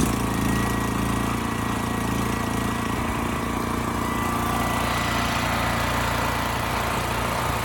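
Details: Westinghouse 7,000-watt electric-start generator that would not start, with a rusted gas tank and gummed carburetor. After carb cleaning, fresh fuel and pilot jet/emulsion tube work, it runs at constant speed with an even drone and no stumbles, surging or misses.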